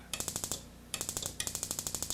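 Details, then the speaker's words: Dual-therm 3155 RV furnace ignition board on bench tester: sharp spark ticks about a dozen per second cutting out and restarting when the board is flexed; intermittent ignition from a cracked transistor solder joint, faulty board. "little transistor has an intermittent solder connection which allows the board to function or not depend upon where the pressure set if I tweak the board in micron it might stop but in any case it's obviously a faulty board"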